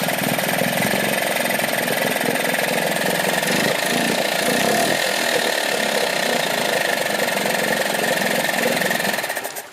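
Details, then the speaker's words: Dumpster-found Yamaha two-stroke outboard in a bucket of water: steady, crisp high-pitched buzz with even pop and no misses, then shut off via working kill switch; healthy after only restringing, plug check and gas down the carb. "Kill switch even works. Well, there you have it. This little thing's alive."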